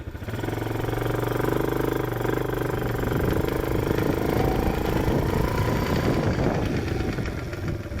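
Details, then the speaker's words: Chinese ATV clicking rapidly and steadily over the engine drone only when driving forward, fine in reverse; owner suspects the transmission, cause unknown. "Hear that clicking? Just click, click, click, click. Only happen when I'm going forward."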